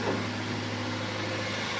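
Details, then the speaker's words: 1992 Toyota Previa 2TZ-FE 5-speed manual, first start after cylinder head replacement, coolant not yet bled, in neutral: low, even idle hum with a steady beat, zero front-end shake; smooth idle. "See what we got for shaking on this front end. Oh, just zero shake of any kind. Rock solid."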